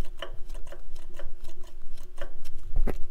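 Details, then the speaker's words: Farmall Super M tractor engine during teardown, engine off: cam gear rocked by hand gives irregular sharp wooden clacks; timing gears way loose, like the live hydraulic pump gear, confirming the suspected timing gear problem, likely a huge source of trouble. "don't know if you guys can see that, but you can hear it for sure. It is way loose. Just like the live hydraulic pump gear."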